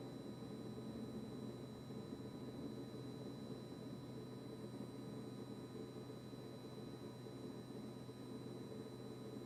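Quiet, unbroken low hum with a thin high-pitched buzz on top that never cycles off; fridge compressor buzzing constantly.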